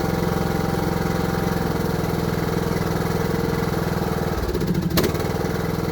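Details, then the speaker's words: Craftsman LT3000 riding mower, given away as having rod knock but suspected to need valve adjustment, running after the valves were adjusted: even, steady beat with no sharp ticking on top; valve train quiet, problem fixed. "I think it's more working pretty good seems like we got our problem fixed"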